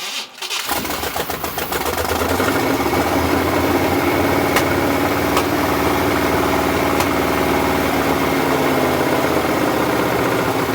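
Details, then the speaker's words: 1974 Chevy K10 pickup, long-sitting: cranks, catches and settles into a loud, slightly uneven stumbling idle; mechanical fuel pump pumping both ways, owner suspects a hole in the pump diaphragm. "so I think basically what we have here is we have a hole in the diaphragm and gas is getting between it"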